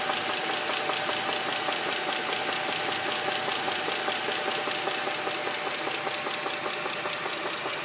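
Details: 2007 Dodge Charger 2.7 at idle: steady, fairly even sharp metallic ticking knock, two to three per second, after oil ran fully low on the interstate; persists after new lash adjusters, cleaning, plugs, valve cover gaskets; source not pinned down.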